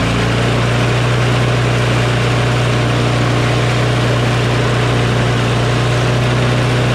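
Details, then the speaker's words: Craftsman push mower with a Briggs & Stratton Quantum engine, started cold at about 23°F after carburetor cleaning: loud, steady high-pitched drone with no hunting, overspeeding because the governor spring tab is pulled out too far, overtensioning the spring. "so this tab is too um pulled out too far so the tension for the spring is too much"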